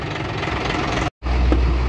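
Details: Hino 500 (FG) truck diesel idling steadily after clutch repair (noise had been traced to release bearing, clutch fingers and clutch plate); pedal pressed and released repeatedly with no rattle or chatter from the clutch; normal clutch operation.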